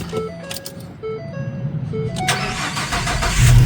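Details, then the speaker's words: Ford Transit 350 van with an intermittent no-crank, no-click fault, started on a cold, snowy Wisconsin winter day at home: short crank, catches, steady even idle with chimes in the background. Fault did not reappear this time. "Starts just fine. Always does that when you're at home."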